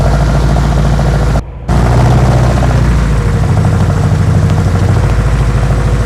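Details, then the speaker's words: 1972 BMW 2002, semi-cold start after being driven in spitting and sputtering: loud, lumpy low rumble with uneven stumbles instead of smooth idle; rough running, shakes badly, cause not yet found. "like I said when it pulled in she spit sputtered a bit so uh let's see what she sounds like on the uh you know on the fire up"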